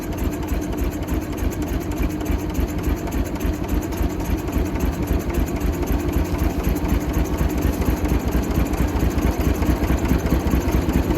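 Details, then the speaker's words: Michigan 35A wheel loader, Continental six-cylinder gas engine, sat for years, fuel tank primed from above: a lumpy, uneven idle with irregular thumps and missed beats. It won't take off; stuck valves suspected, and two of three checked cylinders show weak compression. "we'll had it running but didn't want to take off and go definitely think it's got a few stuck valves"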